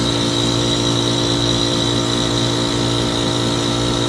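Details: 2006 Trane XB13 5-ton heat pump in defrost cycle, recorded at 28°F, with a bad capacitor: steady loud hum with a thin high squeal as the compressor strains; failing capacitor.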